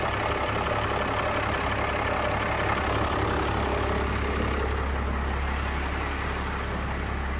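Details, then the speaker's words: First-gen Cummins diesel truck after PCM repair (three capacitors replaced) for a no-charge fault, warming up with grid heaters cycling: steady, even idle with low drone, no knocks or misses; healthy warm-up idle. "the truck warms up and then once it's done it'll go to a charging voltage the water and feel and the weight to start are both off and the truck's still warming up going between a charging voltage and then drawing down when the grid heaters are on"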